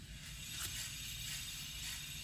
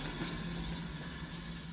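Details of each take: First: 2007 Toyota Camry Hybrid with brand-new brakes, hand-spinning the driver rear wheel while chasing a humming complaint: a quiet, free spin with only a faint swish of pads lightly touching the rotor, no growl or roughness; normal wheel bearing. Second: 2007 Toyota Camry Hybrid front wheel spun on a lift: steady low hum from a worn wheel bearing; driver reports humming while driving straight, louder when cornering.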